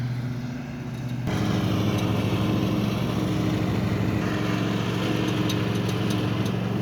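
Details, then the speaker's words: Riding lawn mower after blade replacement, blades engaged on grass: engine steady under load with irregular metallic clanking; deck was off level, and leveling it removed the noise. "We just gotta figure out that clanking noise. So you think it's because the deck is off level? Yep."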